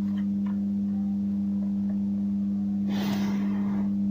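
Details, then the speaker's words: 2.1 home theater amplifier, left channel only, with no input: steady low mains-type hum, starting after several minutes of use and worsening; volume control has no effect; amplifier hum fault. "बिना input दिए गाइ यहां पे जो है humming आ रही है guys ठीक है"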